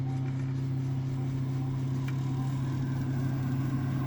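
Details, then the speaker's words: Ideal gas boiler with an intermittent lockout fault, powered back on with a demand: steady low fan hum, then one sharp click as the igniter sparks, and ignition; normal boiler fan run and ignition. "So, fan, you can hear it spark. I don't know if the camera picks it up. And we've got ignition."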